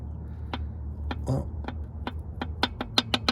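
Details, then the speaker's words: 1998 Subaru Legacy Outback engine from a $400 auction car, torn down after a failed earlier repair; engine stopped, rods rocked by hand give sharp separate clacks on several rod bearings; worn rod bearings, engine judged toast. "that doesn't sound good that doesn't sound good and when I go to this one up here that doesn't sound good either and there's another one in here and that one sounds even worse so pretty much the engine's toast"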